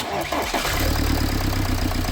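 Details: BMW E91 3 Series diesel after the tensioner rattle repair (cleaned-up part refitted): the engine cranks, catches and settles into an even, steady idle without rattles, confirming the fix.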